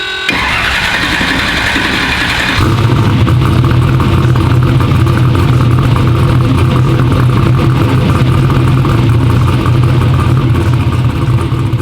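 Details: "Black Sheep" V8 race car, starter whirs then the engine catches and settles into a steady, even, deep rumble with no misfire; runs good after injectors fixed EGT problems, front and rear main seal oil leaks still pending.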